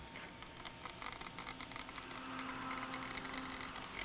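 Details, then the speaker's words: MacBook laptop fan with a failed bearing: irregular Geiger-counter-like crackle over a faint steady fan hum, at first mistaken for the speaker. "oh wait that's not the speaker at all that's a fan bearing yeah that's actually the fan bearing"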